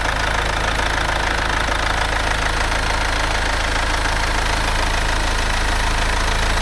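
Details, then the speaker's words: Mercedes C-Class S204 with OM651 diesel at idle after a DIY timing chain replacement, driven 660 km since without problems. Steady diesel clatter with a slight shake, no knocks or misses; the engine runs well and the shake is considered normal for a diesel. "发动机运转良好。它仍然会有些抖动，但我认为这对于柴油发动机来说是完全正常的。"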